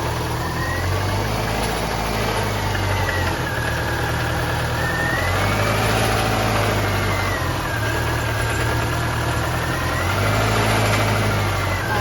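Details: 2002 Subaru Forester, timing belt previously done. Idle lurches and stumbles, low thrum wavering irregularly with a rising and falling whine; misfiring badly after sputtering on the drive home. Owner suspects the rear driver-side cylinder/spark plug.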